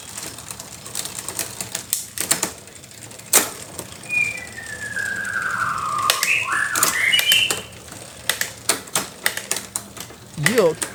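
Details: Bicycle rear derailleur before maintenance: irregular clicking and chain chatter with a late, rattly, gear-skipping shift. Delayed noisy rear derailleur upshift.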